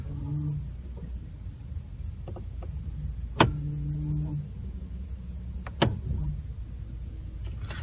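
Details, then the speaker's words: 2014 Ford F-150 with 6R80 transmission and 7,700 miles, recorded in the cab with fluid level okay: steady low buzz under idle in almost every gear, with clunks and a harsh reverse engagement; transmission buzz on shifting into gear (TSB 14-0134). "so just about every every gear has the noise and reverse is the only one that has a harsh engagement"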